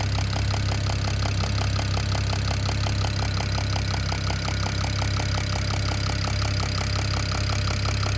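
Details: BMW E92 335i N54 at idle: sharp, regular tapping knock nearly three times a second, owner thinks from the top end but unsure; source not pinned down.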